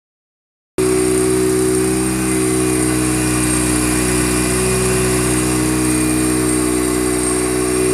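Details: Mazda RX-7 FD3S rotary, first start after rebuild: settles into a steady, even idle with a smooth buzzing drone and no knocks, misses or surging; normal idle.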